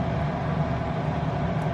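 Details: Diesel heater in a van in subfreezing Alaska after a slit fuel line that was probably sucking air was reconnected, following E08 and E10 failure-to-start errors; temperature reading about 105. Even, steady low roar with no misfire, surging or rattle. Normal running.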